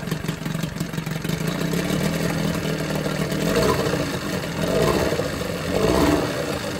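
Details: Johnson 9.9 outboard idling in a tank after carb kit rebuild and new spark plugs gapped to spec: fairly steady mid-pitched putter with slow gentle swells as mixture is set, running clean and even; pretty quiet, normal idle.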